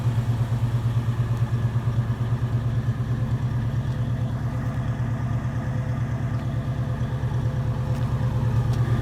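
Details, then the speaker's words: 1972 Chevy C10, 350 small-block V8 (non-original) with TH400, electric-choke Rochester carburetor, ~2.5-inch exhaust: low even rumble, steady regular exhaust pulses, no stumble or miss; smooth normal idle. "now with that rochester it idle smooths but it's not really a fast truck by any means"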